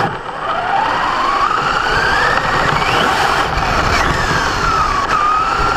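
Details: Brand-new Basher Nitro Circus 4x4 1/10 RC truck on 3S 4000mAh battery: gear whine rising and falling with motor speed under acceleration with a coarse grinding edge; only when accelerating forward on ground, not reverse or lifted; gear mesh adjusted, unresolved.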